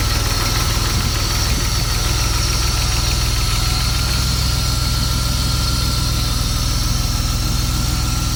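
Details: BMW M50 engine at idle: rapid light top-end ticking, about three or four ticks a second, source not identified.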